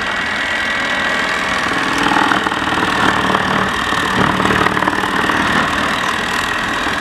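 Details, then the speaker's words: Mammotion Yuka 1500 robotic mower while mowing: steady, busy whirring with a rough mid-pitched rattle from its large rotating grass collection basket. Loud basket noise. "elle fait du bruit parce que c'est le panier hein le panier il a une grosse qui tourne"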